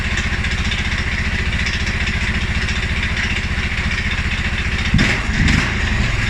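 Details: 2011 Polaris Sportsman 550 XP EFI, after riding or revving: low idle with uneven, loping thumps, then a throttle blip; rough idle and stumble, cause unknown: TPS, IAC, TMAP, valves, timing, spark plug and 43 psi fuel pressure all check good.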